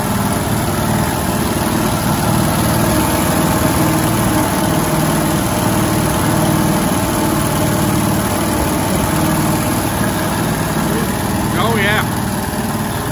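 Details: 1971 International 1310 grain truck V8, first start after sitting, bad accelerator, fuel added to the bowl: steady, even low rumble at idle with no misses, knocks or surges; running smoothly.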